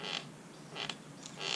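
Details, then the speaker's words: Santa Cruz Blur mountain bike rear suspension linkage while riding: three sharp dry creaks about 0.7 s apart. Lower pivot bearings are gummed with tire debris; periodic cleaning and lubing needed. "But what I need to do is take the rear linkage apart. It's making kind of a creaky sound. So as you ride along, you get this annoying creaky sound."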